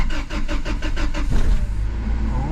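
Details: Toyota 4Runner (1996–2002 generation) after fuel pump replacement for a no-start: starter cranks in quick, even beats for about a second and a half, then the engine catches and settles into a smooth idle; normal start.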